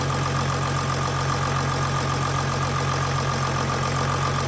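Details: 2008 Jeep Grand Cherokee WK CRD, Mercedes OM642 V6 diesel, idling after timing chain tensioner replacement (old one worn, bypassing oil): steady smooth rumble, constant mid-pitch tone, no ticking or rattle; timing chain healthy.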